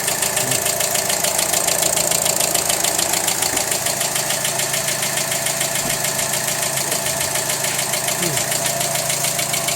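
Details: Engine idling with a steady, sharp knock repeating about three to four times a second: engine knocking at idle.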